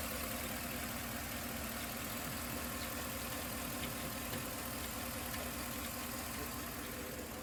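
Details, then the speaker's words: 2011 Chevrolet Tahoe, P0300 with constant misfire on cylinder 3 (non-AFM) despite new plugs, wires and coil: uneven idle with a repeating stumble about every half second, no typical lifter tick; internal engine fault suspected. "Now it definitely is missing, and it is making a little bit of noise, but it's definitely not your typical GM lifter and tick, so it is kind of weird, but I think something else might be going on."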